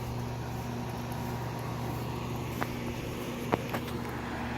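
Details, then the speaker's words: 2002 Lennox Elite series 3 or 3.5 ton AC outdoor condenser with Copeland compressor, running: low steady hum, soft even fan whoosh, a couple of faint clicks; remarkably quiet, healthy normal running. "you can hear the noise from the fan and this is by far one of the quietest units i've ever seen like if we come just over here just barely here see it's a remarkably quiet unit"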